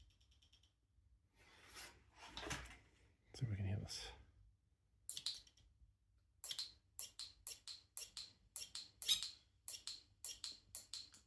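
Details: Brand-new Shimano RD-RX825 GRX 12-speed Di2 rear derailleur bench-tested out of the box: quiet room, then sharp light ticks about twice a second after most shifts; owner suspected skipping plastic pulley gears, but Shimano confirmed this is normal stock behaviour.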